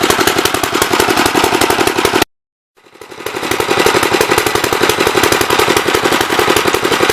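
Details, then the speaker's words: Gravely 64L tractor single-cylinder, first run after long storage, choke off and throttle up: rough uneven popping beat that briefly cuts out and picks back up; running rich and flooding, main jet adjuster stuck to packing nut. "Sounds like it's flooding to me, but I can't adjust the mains yet, so. It's definitely flooding."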